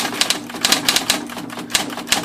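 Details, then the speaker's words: Smith Corona (SCM) electric portable typewriter with manual carriage return, typing demo: a little running noise under crisp, sharp key strikes at an uneven pace, each snapping off cleanly with no drag or grinding; healthy and fast. "it does make a little noise when it runs you hear it here that a little bit but it is pretty fast"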